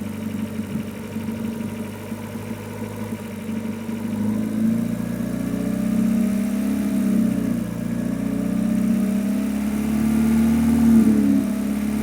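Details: Renault Megane 2 RS 2.0 turbo 225 hp with new coils, plugs and injectors: wavering drone that swells between 1250 and 1750 rpm, fainter above and seemingly absent on deceleration; strange engine noise, source unclear.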